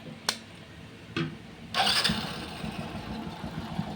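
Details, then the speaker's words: Hero Passion Pro motorcycle whose timing chain, fitted about 15–20 days to a month earlier, was noisy again; after tightening the worn part, it starts with a few clicks and holds a quiet, even idle with no chain noise. "भाई कहां है आवाज आवाज तो बिल्कुल खत्म हो गई है"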